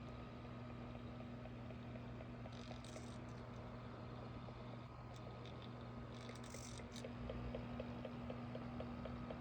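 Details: AC Infinity Cloudray S6 fan, two weeks old and silent at first: a steady motor hum with a soft knock about four times a second throughout the oscillation. It pauses when facing straight forward, grinds briefly, then continues; only one of two fans knocks.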